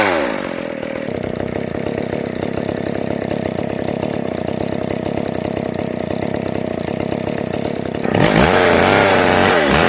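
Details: McCulloch Pro Mac 610 chainsaw on test cuts after clutch inspection and chain sharpening; high steady two-stroke scream, note drops and thickens as the chain bites the wood; pulls strong and clean, running great.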